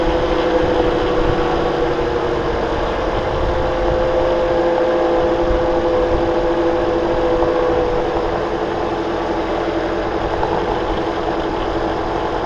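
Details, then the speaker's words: 2009 Toyota Corolla at idle with a faint constant mid-pitched whirring hum from the front accessories. Rust flakes are visible at the alternator pulley and the belt is a bit too tight; the owner suspects a failing alternator bearing. Abnormal noise at idle. "oh see that right there between the pulley and the alternator body you see rust flakes that's from the internals of the alternator I believe the bearing is going bad in the alternator"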